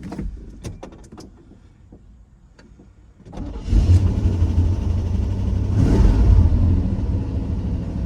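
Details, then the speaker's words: Chevy OBS pickup, unstarted about 1.5–2 years, started with a jump pack: faint clicks, then it catches at once and settles into a steady, even run with no knocks; healthy start. "It runs! Let's go! Let's go! That's all it needed. That's all it needed. That's a lot. Let's go! She sounds good."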